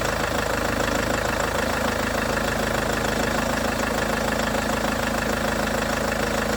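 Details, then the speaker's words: Range Rover Evoque after auxiliary belt tensioner/pulley replacement: steady, even idle with no belt rattle or chatter. Normal, healthy idle. "That sounds better, doesn't it? God for that."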